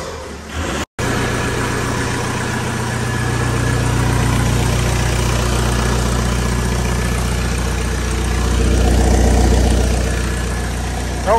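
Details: 2002 VW Jetta 1.9L ALH turbodiesel with new turbo and homemade cold air intake, engine catches within a second and settles into steady, even diesel clatter at idle, no knocks or whistles; normal idle.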